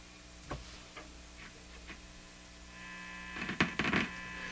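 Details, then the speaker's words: National HRO Sixty communications receiver under repair: steady low mains hum with faint clicks and no received audio, even with RF turned up; points to an audio-path fault; cause suspected, not confirmed. "So that's what I got last time. It's just this hum."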